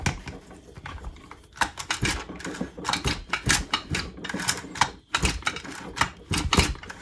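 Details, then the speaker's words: Stihl FS55 brushcutter with new exhaust fitted; soft puffs and clicks with each cord pull, 'fup, fup' at exhaust, showing it breathes freely and the muffler is clear. "Tá vendo? Ele dá o fup, fup no escapamento. Por quê? Porque ele está livre, ele está limpo."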